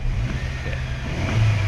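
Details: Mercedes-Benz W204 C180 after pump replacement for a no-start with no gear position display: engine starts and runs with a steady, even low rumble; gear position P now shows.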